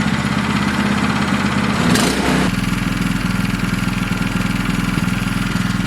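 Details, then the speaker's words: New MaxPeedingRods MXR212 (212cc, Predator-style) small engine, first start; short stumble as it fires, then a steady lawnmower-like putter at an even idle with no misses; a normal, healthy idle. "Sounds like a lawnmower."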